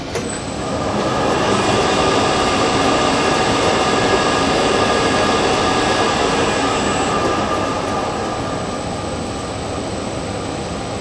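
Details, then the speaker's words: Monarch Merit 16-inch lathe converted from DC to AC drive: even, steady gear whir with faint constant high whine and added cooling fan; spindle turning smoothly at low speed, normal running. "so you can hear the uh the cooling fan that i added there"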